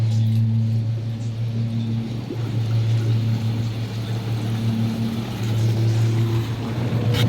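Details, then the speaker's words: Hot tub circulation pump one after replacing the pump assembly that had a broken impeller, running without filters while purging air: steady low hum with no gurgle, rattle or cavitation; no water leaks, sounds good. "pump looks good no water leaks listening for air or anything you can hear when there's air in a pump like that usually"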